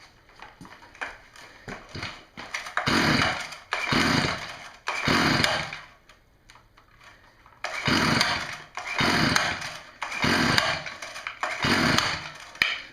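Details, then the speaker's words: Stihl string trimmer: repeated pull-starts with no firing, and the spark tester shows nothing even in a darker room. No spark, from a failed ignition coil that was then replaced. "I'm gonna say there's no spark there this spark plugs testers not showing any signs of life I'm sure the tester is good if used it before but we're not getting spark"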